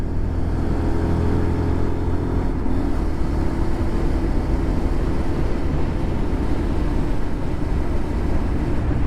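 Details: Lexmoto LXR 125 SE motorcycle on the road: steady, even engine drone under road and wind roar, with no rattle when easing off the throttle after the rattle fix. Owner suspected gases escaping past the manifold/exhaust had caused it. Running normally.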